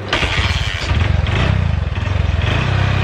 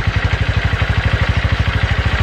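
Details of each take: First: Honda Verza motorcycle, hard to start with low compression (loose kick): fires and runs with uneven wavering beat, then sags and dies; won't hold idle, valves or piston rings suspected, not confirmed. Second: Honda Verza motorcycle single-cylinder, hard-starting fixed, idling after start with idle set slightly low, piston and block possibly still bedding in: even thump about twelve beats a second, no misfires; normal idle.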